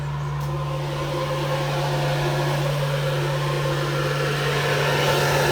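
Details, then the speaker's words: Sea-Doo Speedster with a rebuilt 2000 Mercury 2.5 V6 210HP sport jet engine: the rear blower motor runs with a steady, even electric hum and no rattle or grinding, which is normal operation. "It's my blower motor in the back."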